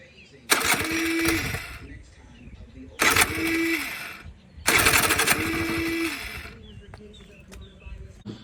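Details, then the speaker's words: 1986 Honda Spree scooter on an 85 engine with an 87 head and a knockoff carb, with spark and compression: three short bursts, each catching about a second then dying, won't restart; owner suspects a plugged exhaust; hard starting and stalling. "it won't run it'll sometimes fire up and go and then it'll die and then it won't restart and what i've come to find is i believe its exhaust is plugged up and i'll show you why"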